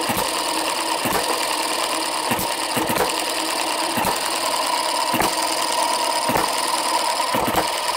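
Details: Microcosm Eachine M90 model hit-and-miss engine, fueled, fitted with new softer/lighter springs, running at about 45–49 hits per minute: sharp firing pops roughly once a second over even mechanical clatter; normal slow hit-and-miss running.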